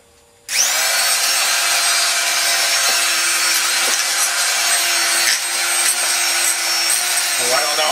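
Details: Ryobi TR-31 laminating router, yard-sale find, had sparked once on first plug-in: starts with steady high whine and rough gritty edge wavering, dims lights; bad motor bearing.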